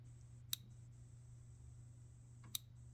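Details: 2000 Ford Ranger with a 302 V8 turbo swap, ignition coil test mode at 50% with the spark plug grounded, checking channel pin layout: two sharp snaps about two seconds apart over a low steady hum; coil firing a good spark on that channel.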